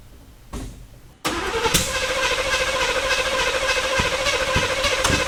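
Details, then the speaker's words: 1985 Chevrolet K5 Blazer, first start after sitting 28 years with seized engine freed, carburetor and starter replaced: cranks, catches, then runs rough with uneven pops and stumbles; ignition timing suspected badly off. "All right. I can smell that it fired. Um, but it sounds like something is terribly wrong with the timing."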